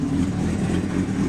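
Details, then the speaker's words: 1996 Suzuki GSXR 750 SRAD track bike fitted with Keihin FCR39 flat-slide carburettors and large main jets, warm after a 100 km ride; loud, deep, steady idle with an even beat and no misses. "It sits there and idles pretty well. So yeah, you can see it's a pretty awesome little beast. It's bloody loud, which I don't really mind."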